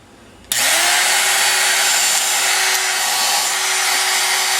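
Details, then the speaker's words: Ryobi TR-31 router after repair (the bad, slid-down bearing keeper likely caused make-and-break brush contact) with top back on, shaken during test: spins up within half a second to a steady high whine, no crackle or dropouts; running smoothly. "sounds good now the reason I was shaking it is it makes sense when the bearing of keeper in this case was bad"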